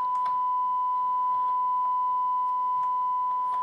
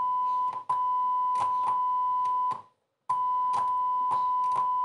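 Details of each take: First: Rotel RA-985BX integrated stereo amplifier: steady mid-pitched test tone clean and even, no crackle or dropout, while checking the tone controls, which work fine. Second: Rotel RA-985BX integrated stereo amplifier on a test tone: sharp crackling bursts and dropouts each time the tone switch is worked, indicating a faulty, intermittent tone switch needing cleaning.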